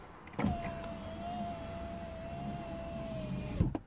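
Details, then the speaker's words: 2008 Porsche Boxster S (987) driver window, after replacing a bad window regulator. Clean, steady motor whine for about three seconds, then a firm stop; the window works properly again. "so when i close this now the window goes down a little bit as soon as i unlock okay so that's the way it should work"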